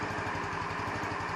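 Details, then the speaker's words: 150cc Chinese scooter idling cold on electronic choke, runs okay after about five minutes warm-up but tends to stall at stoplights; quick low single-cylinder thump about seven beats a second, slightly uneven; rough cold idle, owner suspects mixture or plug gap. "now after it warms up a good bit of time maybe five minutes it'll run okay at first it always wants to kill at a stoplight"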